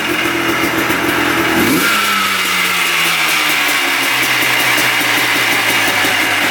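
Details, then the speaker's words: 1990 Yamaha Blaster 200 two-stroke quad after air screw adjustment: drops off high revs then sinks slowly for about five seconds before idling; idle hangs high, owner suspects an air leak, possibly the left crank seal. "But when you rev it up, it kind of hangs high. Takes a while to come back down to idle."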